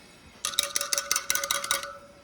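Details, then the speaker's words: Honda Shadow 750 spoked wheel tap test during winterizing: about eight quick metallic taps all ringing at the same clear pitch; no spoke with a different tone, all spokes sound good. "Listening for a different uh tone. They all sound good."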